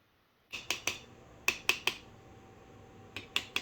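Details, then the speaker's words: Jars of pressure-canned green beans cooling after canning: about nine sharp bright pings in small clusters in a quiet room; lids popping down as every jar seals. "Oh, and I forgot to tell y'all, every jar is sealed because you'll listen."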